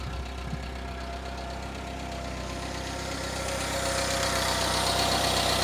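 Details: Citroën C25 camper engine after an ignition fix (corrected plug leads) and a choke adjustment: even, steady idle at about four firing beats a second, no misses. The earlier misfire was likely down to ignition components; now running cleanly.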